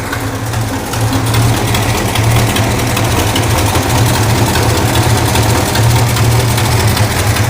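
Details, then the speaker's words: Neglected 1969 Plymouth Barracuda: rough idle with fast uneven ticking over the engine beat on one side, owner hopes it's an exhaust leak, same bad noise heard before; ticking noise, unconfirmed. "I hear an exhaust leak I hope that's an exhaust leak come here I hear it yeah this is like one of the problems that I had last time I was running it I was hearing like a really bad noise on the side you hear"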